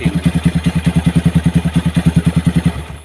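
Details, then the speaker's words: Motorcycle on its third repair for oil not reaching the cylinder head, after a seized piston was fixed, with oil pumped through by hand: even, steady thumping at about ten beats a second with no knocks, then shutdown. Normal idle. "Kita akan menyalakannya lagi. Semuanya berjalan normal, Bos."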